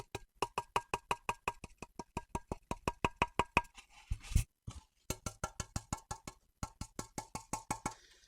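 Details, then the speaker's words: Microphone clipped to a valve amp chassis (riveted corners, used for combo builds); quick hand taps ring out with a faint rattle from corner rivets not pulled tight, rattling inside; would buzz in a combo unless drilled out. "chassis there's a tiny tiny rattle that you can hear and it's where the rivets aren't haven't been pulled tight enough um and they're rattling inside"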